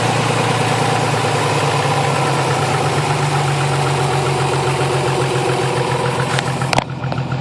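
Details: Nissan 300ZX warmed up after new battery: steady idle with sharp quick ticking knock tied to engine speed, cylinder 4 or 6 sounds worse than typical lifter tick; owner suspects rod knock, unconfirmed.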